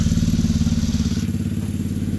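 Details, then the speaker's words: TRex 125cc engine after carburetor replacement and freeing a sticking throttle cable collar; quick, even single-cylinder idle with no misses or stumbles, then some throttle; sounds like a little racecar, idle normal. "well I think the boys gonna be happy with that sounds like a little racecar now"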